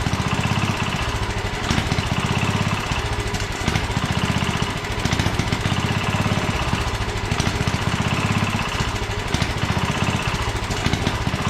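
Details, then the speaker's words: 1967 Sears Suburban 10 lawn tractor, single-cylinder engine running during restoration: steady thump that swells and sags every few seconds; brake cleaner sprayed behind the engine changed RPM, revealing a vacuum leak causing unstable running. "well I discovered an issue you I got some brake cleaning I shot it in behind here and it changed RPM when I did that so it's got um vacuum leaks so I'm going to take care of that"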